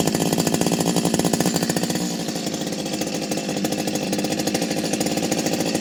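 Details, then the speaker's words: Stihl 025 chainsaw fully rebuilt from the bottom end up, new seals, original bearings kept, modded muffler: crisp, even two-stroke buzz holding steady, settling smoothly as throttle eases; normal healthy running after rebuild. "um change the seals obviously so nice running chainsaw nice noise everything"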